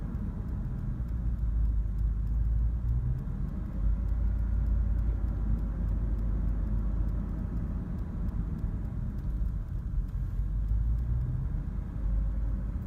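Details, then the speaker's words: 2004 Dodge Durango 5.7L Hemi V8 rough idle after about three minutes in park, fine in drive: deep low rumble with uneven lumpy pulses, no stalling; cause not yet known. "after sitting in park for maybe three minutes this is what starts but it's only a park put it in Drive it's fine they're back in park does it a stall but it's definitely a rough"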